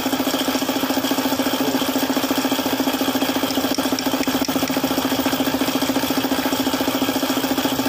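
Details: Suzuki F6A three-cylinder at idle: steady, even knock about three per second; engine knocking caused by a failed oil pump starving the bearings.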